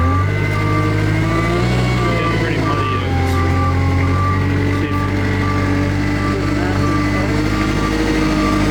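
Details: Kubota 520 hydrostatic wheel loader that wouldn't reverse up steep hills, after swapping forward and reverse relief valves (forward valve found loose): steady diesel drone under load with even reverse alarm beeping, drive pulls smoothly without surging or whine.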